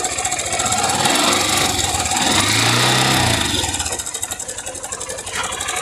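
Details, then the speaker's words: "660" motorcycle engine revving and settling: steady hollow rapping about four a second following revs, rattlesnake-like; rocker arms checked under opened top cover, noise from the cylinder, early piston skirt slap. "Mas o barulho dessa moto é é tá vindo aqui do cilindro, tá, rapaziada? Tá batendo saia, beleza?"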